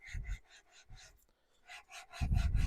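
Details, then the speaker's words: Classic Mini flywheel/clutch assembly being lapped onto the crankshaft taper with valve grinding paste, worked back and forth by hand: rhythmic gritty rasping, about three strokes a second, growing quieter and smoother as it beds in. "You can hear it lapping. So you can hear the valve grinding paste doing what it's supposed to be doing. And that sound will eventually get less, so it'll sound less gritty and a little bit smoother."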